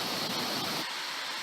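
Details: 2007 Isuzu pickup A/C blower after repairing worn bushing that let the fan wobble and rub its housing: smooth even rush of air, no rubbing, ticking or scraping; normal.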